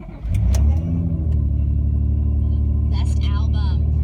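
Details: 2003 Honda Pilot EX-L, below freezing, after timing-belt timing corrected and cam and crank position sensors replaced: quick crank catches at once into a steady idle. Former hard-crank no-start fixed.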